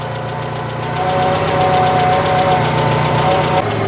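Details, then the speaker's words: Citroën idling with a harsh, uneven mechanical rattle and faint whistle; exhaust already sounds blowy, and a stethoscope places the noise at the front of the engine bay; cause not found. "I'm not liking that sound very much. What the earth? That does not sound joyous."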